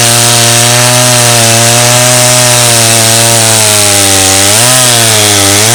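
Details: Roughly 35-year-old Stihl 084 AV chainsaw, restored after being found on the tip, cutting Australian red gum: a strong high-revving two-stroke scream dips slightly into the wood and recovers; pulls healthily, cut done with no effort.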